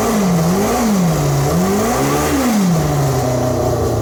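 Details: Formula 4 race car after fuel-leak fix (fuel pump O-ring replaced), very loud: clean strong revs swinging up and falling back smoothly over a steady engine note, no stumbling; normal revving.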